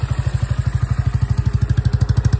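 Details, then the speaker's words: Freshly rebuilt 125 Orcal Astor single-cylinder: a steady idle of about eleven beats a second, slightly uneven and lumpy, and smoking, which the owner suspects is burning oil deposits. Not running cleanly yet. Rough idle, cause unconfirmed. "Écoutez-moi ça les grands loups. Ça ressemble à rien."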